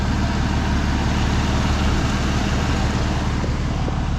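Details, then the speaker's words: Comanche truck, revived after 12 years of sitting, running after injectors were cleaned and resealed with new O-rings: low, steady idle with an even beat and no misses, ticks or knocks; running great. "i'm so excited listen to that she's running great"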